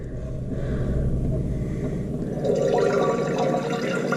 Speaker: So notice that the water level was falling, and then you would hear this. And that's just the float lowering a little bit, and then it's calling for water. So it wants a little bit more water in it.